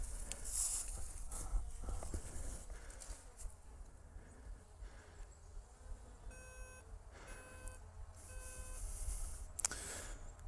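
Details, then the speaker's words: Skydio 2 drone autonomously tracking a rider through woods: faint high beeps in short bursts over quiet trail noise, warning that it has lost signal; it then reacquired the rider. "it's beeping, telling me that it has lost signal."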